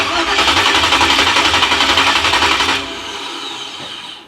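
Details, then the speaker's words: 1987 Chevrolet Monte Carlo SS with freshly installed 383 stroker and Stage 3 200-4R transmission, first start: the starter spins the V8 evenly but no cylinder fires. Owner suspects some plug wires came off. "doesn't sound like it's firing at all. Oh! I think we got some plug wires off."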